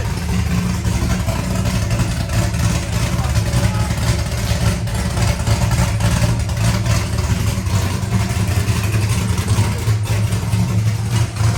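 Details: First start of a rebuilt C5 V8 with a Michigan Motorsports drift cam and ported 243 heads, showing 50 psi oil pressure. Loud, deep, choppy idle at a steady speed with no knocks or ticks. Normal cammed V8 idle.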